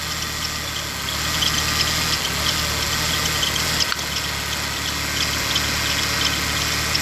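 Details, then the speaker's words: Ford Taurus at idle with the alternator disconnected: RPM holds even and steady with no hunting or surging, unlike when it was connected. Known Ford issue with the charge regulator integrated in the computer causing RPM variation and power loss. "Regardez les données du RPM, comment ils ont changé, que c'est beaucoup plus stable."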